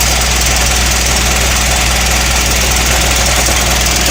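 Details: ISB170 diesel after FCA and FRPV replacement, leaks fixed: loud idle with an uneven, lumpy firing beat that never smooths out. Still a rough idle, cause not yet found.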